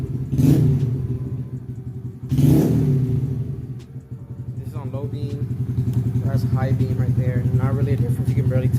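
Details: Honda Grom small single-cylinder engine: catches, blips twice sharply, then settles into a quick, even idle with no knocks; healthy.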